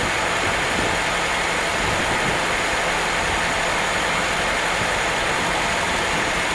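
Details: Engine after swapping the stock carburetor for a Weber on an adapter plate: settles to a steady, even idle with no stumbles or misses under a lot of hiss; the old putter is gone and it has never run that smooth.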